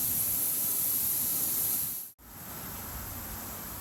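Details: Car tyre with a slow leak from a screw puncture; steady sharp hiss of air escaping through the small hole, even apart from one brief break, heard while preparing a DIY plug repair; tyre puncture air leak.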